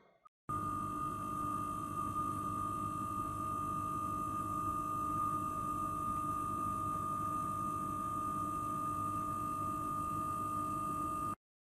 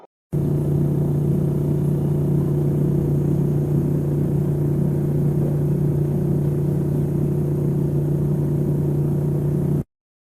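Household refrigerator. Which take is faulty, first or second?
second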